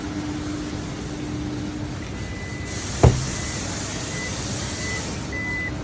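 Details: Toyota Yaris Cross rear tailgate: one sharp, loud clunk as it opens, over a low steady hum; loud noise when opening, to be fixed.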